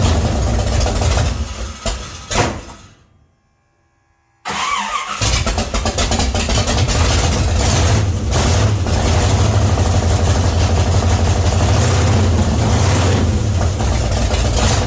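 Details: 1966 Chevy C10 rat rod, start after adjusting the oil pump and refitting the distributor, timing not yet checked with a light: cranks, pauses, then catches into a steady, even rumble without misses or knocks; starts and idles fine.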